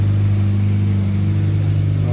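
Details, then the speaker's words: Mazda 2 that would not start after sitting about a month: steady, even low hum with no misses or knocks once it finally starts; scanner later shows a PCM power relay control circuit open code. "Start busing. Yun oh. Napaandar na. Umandar na yan."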